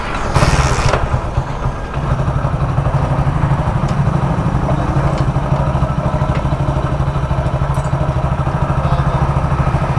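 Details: Hero Splendor Plus single-cylinder after engine repair, within the customer's budget, for crank noise: steady low thump at idle, even and unhurried, with no knock or clatter; the engine sounds healthy.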